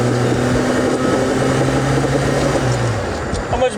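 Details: Volvo 240 with a welded straight pipe run back over the axle, cleaned up, accelerating: even, deep exhaust drone with no ticking or rasp from leaks; exhaust sealed and healthy.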